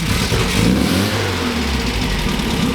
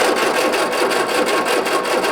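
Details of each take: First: 1967 MGB GT four-cylinder, first start after sitting: catches and settles into steady, slightly uneven idle with a throttle blip; oil pressure low at first, rising to 50 psi; running healthy. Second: 1967 MGB GT, positive-earth, Pertronix igniter, sat for weeks: steady starter churn, even cranking pulses about five per second, never catches; spark detector on plug shows no spark, crank no start.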